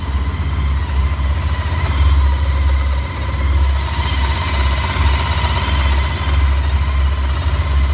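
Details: Honda ST1300 motorcycle engine at a deep, steady idle with a dull knock pulsing through the low rumble; the source of the knock can't be pinned down by ear.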